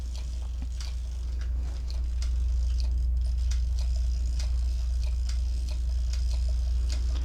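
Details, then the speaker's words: Mamiya 645 medium format camera after the 15th frame: crank turns freely with steady light ticking about four per second over a low hum, meaning the film is fully wound onto the take-up spool, ready to unload. "when you hear it running like that that means the film is rolled up completely into"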